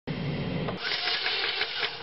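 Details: 2003 Chevrolet Cavalier 2.2L Ecotec that won't start after being parked: the starter spins the engine fast and even with no compression chuffs; a loose timing chain slipped and threw the cams out of time.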